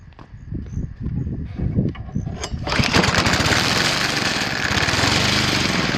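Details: Cub Cadet ST 100 field trimmer mower after installing a fuel shut-off valve, fuel turned on with an empty carburetor bowl: a few pulls and sputters, then it fires and runs unevenly until settling into a steadier beat as the bowl refills.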